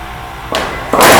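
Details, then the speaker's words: Vacuum panel lifter (19000 series): operator hits the two release buttons to let go of the panel, giving two sharp bursts of rushing air a split second apart; normal vacuum release blow-off of the suction cups. "if you accidentally are not in a good position and you want to release from the panel you hit the two release buttons and again you will get the blow off"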